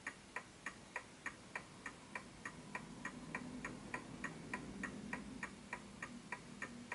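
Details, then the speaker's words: Smiths Enfield oak pendulum mantel clock after nudging the case left and right to its level spot: crisp, evenly spaced ticks, no limp; healthy tick, clock in beat. "And as you can hear, it's a healthy tick."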